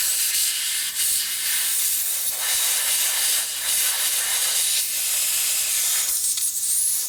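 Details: Inner tube in a wheel from a 1950s Harley panhead project, refilled: steady sharp hiss of air escaping without break; tube leaking, needs replacing.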